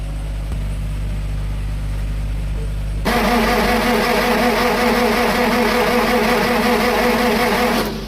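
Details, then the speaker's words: Electronic-type 6-cylinder diesel generator engine that just died: steady rhythmic cranking, about three turns a second, never catching; high pressure pump checked and found low pressure, injectors not opening, so no start. "So ayan mga idol ayaw talagang mag-andar ng malaki na to kasi yung ano niya low pressure na yung high pressure pump. Ayaw na mag-open-open 'yung injector niya kaya 'yun 'yung sira niya"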